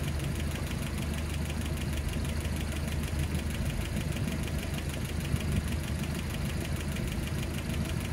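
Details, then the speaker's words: Land Rover Series 3 petrol engine at idle, listened to with a pipe next to the valves: a quick, even tick over the low rumble from valves three, four and seven, whose clearance needs adjusting again. "i could hear not by really putting the the pipe on the the rocker uh but on the uh just next to the valve itself and i can hear those three valves three four and seven we're making a bit of a noise so i'm going to adjust those now"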